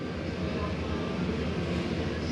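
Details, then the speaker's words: Jayco Jay Flight 28BHBE travel trailer furnace, thermostat set to 90 and kicked on, heard inside the RV: steady even low rumble of moving air, no rattles, knocks or squeals; normal furnace blower running. "There's your furnace. Gets on 90 and that should kick on. There that goes."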